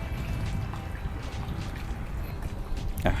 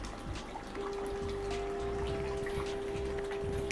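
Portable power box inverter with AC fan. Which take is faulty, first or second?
second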